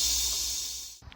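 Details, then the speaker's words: M920 military truck that sat for 10+ years, during pre-drive restoration. A steady, high, airy hiss stops abruptly after a second, indicating a compressed-air leak. Suspected in the axle air-bag system, which has not been exercised in a while, or the transmission; not confirmed. "I imagine that this axle is probably going to drop back down because I can still hear that there is a leak, air leak. I believe it has something to do with that axle system, or it might have something to do with the transmission, this part here."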